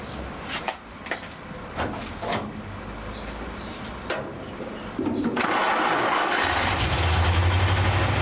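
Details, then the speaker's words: Rat rod engine just after carburetor cleaned and refitted (gasket set and power valve may need replacing): a few light knocks, then catches into fast steady running that won't drop to tickover; high idle, cause suspected, unconfirmed. "as you can hear it ain't ticking over I can't get it any lower than that"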